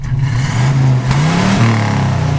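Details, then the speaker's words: 1950s Chevy 3100 Apache pickup V8 at idle after bending and adjusting the carb: low, fairly even burble with slight wavering, much steadier than before; still slightly rich but significantly better than the earlier very rich, bad-smelling idle. "Slightly rich, significantly better."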